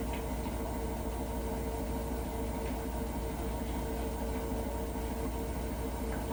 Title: can anyone tell me why this Hotpoint Nswr making a weird noise